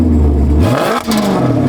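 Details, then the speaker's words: Maserati Quattroporte after new coil packs fixed misfires (still needs two catalytic converters for emissions); quick rev climbs and drops cleanly, even note, no stumble or popping; silky smooth, misfire gone; normal revving. "listen to that that is just silky smooth now I'm beautiful little misfire is gone it sounds beautiful"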